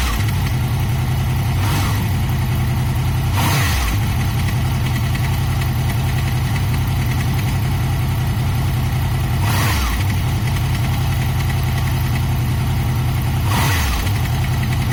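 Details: Honda VFR VTEC V4 motorcycle idling: a steady low rumble with a fast metallic rattle; engine rattle suspected to need a cam chain tensioner fix, not confirmed.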